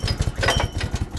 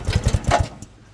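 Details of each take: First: Barn-find off-road buggy, small engine not run for a while, choke on: after a few coughs it catches and settles to a steady even idle with light centrifugal clutch rattle underneath, normal given loose tolerances; running fine. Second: Barn-find off-road buggy with centrifugal clutch, not run for a while, fuel on and choke on: about six quick compression chuffs while turned over, then stops without catching; reluctant to start, cause unconfirmed.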